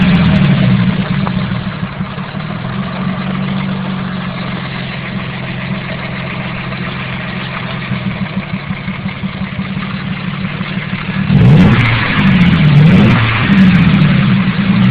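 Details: KLDE V6 idling with a dull steady low knock that follows the revs as it is blipped several times. The owner suspects rod knock; not confirmed.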